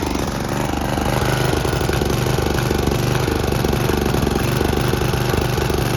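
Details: Snapper riding mower with aftermarket Chinese carburetor whose needle and seat always leaked, refuelled after dying: small engine chugs unevenly, stumbling and lumpy, flooding badly and puffing black smoke; running rich.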